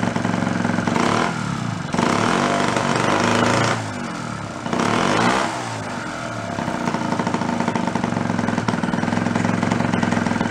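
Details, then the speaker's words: 49cc fold-up suitcase scooter, two-stroke, first run after sitting 40+ years, no choke, slight throttle: it buzzes unevenly at first, then clears up and runs steadier and cleaner, still puffing smoke; running normally. "Exactly what it's supposed to. Needs to be run a little bit, that's all. How cool is that? First time that thing's been run 40-50 years."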